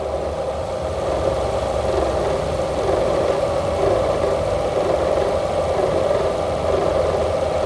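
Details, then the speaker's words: Engine idling with a strange noise also heard inside the cabin: uneven rattle coming and going about once a second; it goes away when the engine mount is pressed, so the motor mount is blamed. "customer States here's a strange noise from the engine compartment funny thing I can hear it Rowdy inside sounds like rattling"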